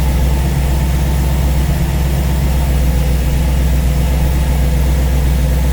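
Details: V8 idling after first start on a newly installed Ace's Killshot EFI throttle body with Blackjack distributor, while base timing is set to 15°; deep, even burble with steady beats and no misses or knocks, healthy.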